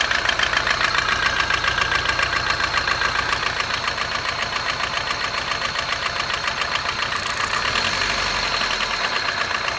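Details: 2006 Kia Picanto at cold start: fast, fairly even ticking of about three or four a second at idle. The owner suspects an intake manifold leak or lifter tick; not confirmed.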